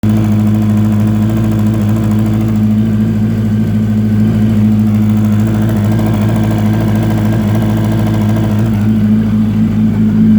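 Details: 2004 Yamaha R1 track-day bike at idle: steady hum with faint uneven rapid ticking from left side of engine, recently started, no smoke or power loss; owner wonders about spun bearing or valves, cause unconfirmed.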